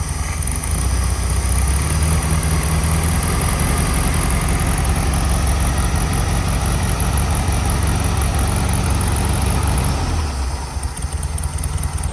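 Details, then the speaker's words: Air-cooled VW Bug idling after flipped spark plug wires were corrected, choke operating properly: steady, even low idle with a smooth drone, no misses or knocks; healthy and settled. "So we're gonna see if we can keep it running and if I actually do need to pull the carburetor off. Running well enough right now. Choke's operating properly."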